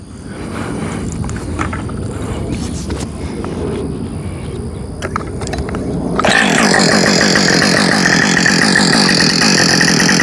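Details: New Husqvarna 562XP Mark II chainsaw, first-ever run, freshly fueled, started after reseating the spark plug coil wire: quiet start then loud steady high-pitched run holding even; normal running, found its tune quickly.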